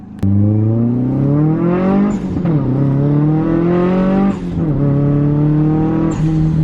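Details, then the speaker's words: Turbo car after fixing four boost leaks: engine note climbs steadily through three gears with quick shifts, pulling clean and strong at full 18 psi boost; normal turbo pull, though boost is intermittently inconsistent on other pulls. "sounds like we're pretty good"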